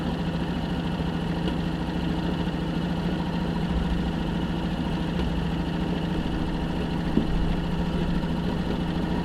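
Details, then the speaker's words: 1965 Jeep Wagoneer, original 3.8 L 230 cu in overhead-cam engine, first start after 20 years sitting, points gapped, valves set: low, uneven idle with loose irregular beat. "But as you can see here, we're finally there, and you can finally hear it turn on after 20 years."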